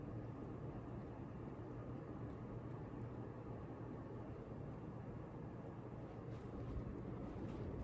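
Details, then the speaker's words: Ceiling fan at high speed after tightening the blade screws with a stubby screwdriver to cure clicking: smooth steady whoosh and low hum, no clicking, normal. "noise a little bit of dust but no noise i think it was the blade screws because the other one seemed pretty tight"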